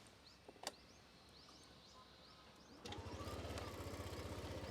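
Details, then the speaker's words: Yamaha Aerox 155 scooter, R15 V4-derived engine with CVT and smart motor generator: near-silent start with no cranking or starter whine, catching at about three seconds into an even exhaust beat; healthy start. "And also because of the smart motor generator system, when I start this Aerox 155, it is a very silent start."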